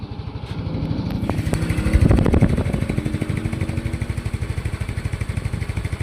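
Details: A Yamaha Mio i 125 scooter, repaired after knocking from running dry of oil, gives a quick rev blip and then a settled, regular idle putter with no knocking. It runs sound, though a slightly bent clutch housing makes the wheel turn.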